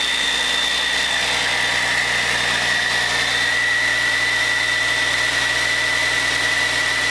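Steady, even diesel idle with a high whistle on top and no knocks or misses; this engine sounds healthy.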